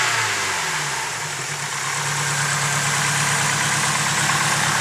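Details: Fully built engine, a few months after the build: steady idle with a light, fairly regular tick about three times a second, possibly valvetrain; lifter tick suspected, source unconfirmed.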